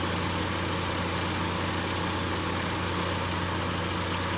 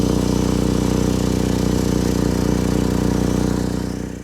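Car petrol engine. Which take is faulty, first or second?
second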